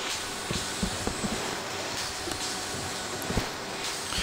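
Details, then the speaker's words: Pulsair electronic tank mixer on a 12-tonne ferment in early stages, managing a red cap: slow hissing bursts of about a second as the valve opens and closes, pulsing through a stainless tube about 300 mm off the tank bottom; normal. "if you listen carefully you can hear the valve opening and closing on the ptm it's a long slow hissing sound lasting about a second"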